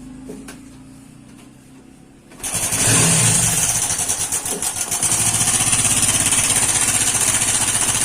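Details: Hero iSmart 110 small single-cylinder motorcycle: fires up and settles to a fast idle with a steady metallic clatter on top from a worn timing chain; timing chain kit replacement is the fix.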